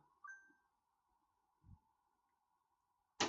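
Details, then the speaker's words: Newly installed gas hob, after gas leak fixed and tightness test passed with no drop: steady hiss of burner flames with four sharp clicks as each flame supervision device engages; FSDs working normally. "1, 2, 3, 4. Good. FSDs are working."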